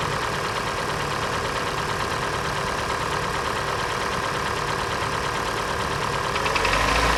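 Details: Hyundai/Kia G4NA engine at idle: steady light ticking knock through the mid range, about four per second; teardown found scuffing in cylinder three, engine to be sleeved. Piston slap.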